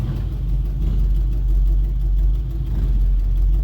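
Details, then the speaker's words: 1972 Chevrolet Nova SS clone with a built 355 crate V8, on a short drive: deep V8 rumble with a rough puffing pulse at idle and low revs from an exhaust header leak; the engine itself is said to be fine. "That last bit, you can really hear that exhaust header leak. I know it sounds really bad, but just know that it's not anything wrong with the engine other than that exhaust leak."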